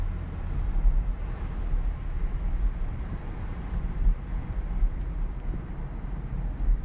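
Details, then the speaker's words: Junked 2009 Chevrolet Impala driving on road after replacing noisy wheel bearings: previous grinding gone, only steady low road rumble with no hum or growl climbing with speed; wheel bearings quiet. "Already I don't hear that stupid grinding noise. No, it is silent. It is silent."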